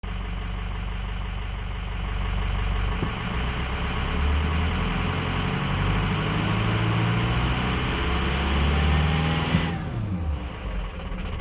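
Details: 6.0 diesel lumpy uneven idle pulsing about four times a second with revs creeping up slowly; rough idle with slow rpm climb, cause unknown.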